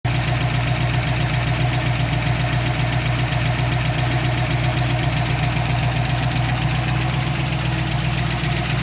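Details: 302 V8 at idle: a steady idle with a light, quick tick at roughly four a second riding on top, most likely a noisy lifter.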